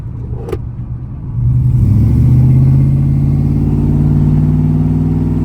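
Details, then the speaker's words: V8 truck with long-tube headers, driving around 3,000 rpm: steady deep drone swelling as revs climb, then even, quiet medium rumble at cruise, nothing wrong; normal exhaust note at cruise. "it's a pretty nice little medium Rumble like it's super quiet when we're cruising which I'm shamefully admitting it's sometimes nice"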